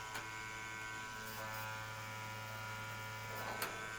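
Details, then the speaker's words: 2016+ BMW R1200RT during brake flush, ABS pump switched on via diagnostic computer to purge air while the brake lever is pumped: steady low electric hum and faint buzz, no grinding or stutter; ABS pump running normally. "When I click this, it's going to turn the ABS pump on. You'll hear it. You'll hear the ABS pump key on"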